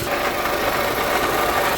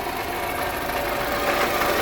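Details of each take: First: Toyota RAV4 4-cylinder at idle after water pump and gasket replacement: even, steady idle hum with no squeal or grinding. The earlier gravelly noise from the old water pump is gone. Normal idle. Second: Toyota RAV4 4-cylinder at steady idle: rough, gravelly grinding over the engine without a clear beat from a worn water pump bearing; water pump to be replaced.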